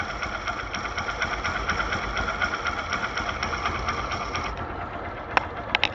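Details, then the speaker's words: Idling single-cylinder engine heard through a Phillips screwdriver used as a stethoscope on the clutch area: fast, even ticking chatter with steady rhythm and no harsh knock; normal clutch kit noise. "Se muito barulho do que estão trabalhando na camisa o barulho da kit embreagem e o sono é difícil embreagem pé"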